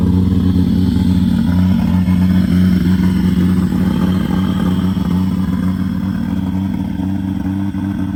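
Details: BMW E36 with 1JZ engine swap, first start in over 10 years after ECU adjustments, constant fuel pressure and a new battery: loud, steady low drone with an even firing pulse at fast idle slowly easing down; running smoothly.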